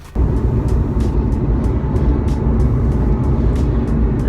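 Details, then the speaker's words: Mazda RX-8 at 40-60 mph: deep, steady droning rumble beginning around 40-45 mph, worsening to 55 and fading near 60; worn front hub wheel bearing. "okay so with that road noise I was hearing was which only occurs at about 40 45 miles an hour exactly and gets gradually worse"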